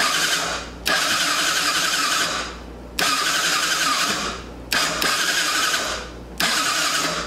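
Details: Yamaha Badger YFM80 ATV after the start button contact was cleaned: four separate bursts of quick, even starter whirring, each about two seconds long, with the engine turning over freely; the starter now cranks normally.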